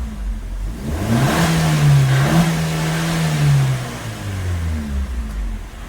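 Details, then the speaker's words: Maruti Swift Dzire VXI petrol after replacing shorted spark plugs that caused misfiring: single clean rev smoothly to about 1500 rpm and back to idle, no vibration or misfire; normal rev. "ಈತರ 1500 RPM ಗೆ ಹೋಗಿ return ಬರಬೇಕು ಅವಾಗೆ okay ಇಲ್ನೋಡಿ ಎಷ್ಟು smooth ಆಗಿ rice ಆಗ್ತಿದೆ ಇವಾಗ was"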